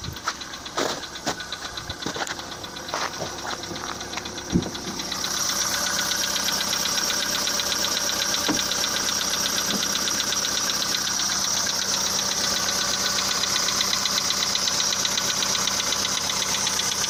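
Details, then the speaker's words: Volkswagen Polo sedan petrol engine idling with the hood open: quick, regular light knock about four a second, clearly audible; engine knock at idle, cause unknown. "Давайте послушаем стуки в двигателе. Volkswagen Polo седан. Вот, сразу слышен характерный стук."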